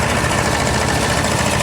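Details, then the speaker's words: A/C compressor stays engaged steadily with no cycling and engine idles with a smooth, even hum after the freon recharge; the leak at the line O-rings appears to have stopped and the vents blow freezing cold. "Oh, the compressor is staying running now. Listen to this."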